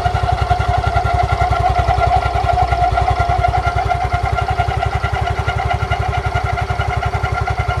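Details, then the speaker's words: Yamaha Fino scooter, in its third year of daily use, at idle: even thump with a steady ringing whir over it, heard only sometimes, from the CVT; caused by an unevenly worn front CVT pulley. "jadi bagian CVT Fino ini kemarin ada bunyi-bunyi aneh yang pertama itu bunyinya kletek-kletek berisik Yang kedua itu bunyinya seperti ini kalian dengarkan dulu"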